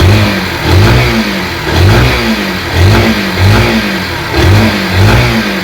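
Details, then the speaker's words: Yamaha SZ-R after repair of clutch-side knocking noise, self-started: clean crisp throttle blips rising and falling evenly about every second, no rattles or misses; normal revving after repair. "गाड़ी start condition में है sound आपको सुनने में आ रहा होगा proper तरह से हो गया है"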